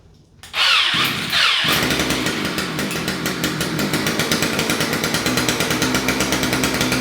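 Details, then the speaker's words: Two-stroke string trimmer, previously non-starting, after carburetor cleaning and reassembly, primed and on choke, run without cutter head: pull-start, a couple of coughs, then catches and holds a steady buzzing run with even pulses; running properly. "Okay, I don't want to run it too much without the cutter head on there, but it looks like this thing's working."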